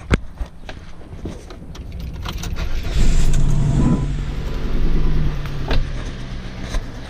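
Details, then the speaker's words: 2002-2007 Saturn Vue 2.2 L, hot, before the coil packs are replaced: uneven, stumbling idle with irregular low thumps about four a second, smoke from the exhaust as one cylinder is not firing; cylinder misfire. "So yeah, it's got a pretty gnarly misfire. It is smoking out of the exhaust pipe because one of the cylinders are not firing very well, so all the fuel is just going right out the back."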